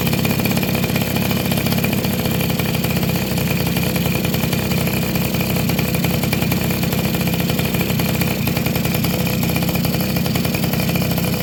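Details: Two-stroke motorcycle (Suzuki RC110 / Yamaha Y100 type) that would not start despite rings, carb and other repairs, now idling steadily with an even buzzy beat after replacing the hardened, leaking crankcase seal. Normal idle.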